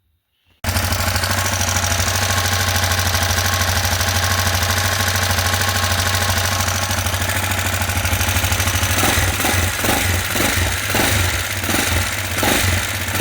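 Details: TT 250 motorcycle with a 166FMM engine, rebuilt after hitting a stump: fires up and runs with a sharp, rapid metallic ticking knock that gets choppier as it is blipped; knocking again.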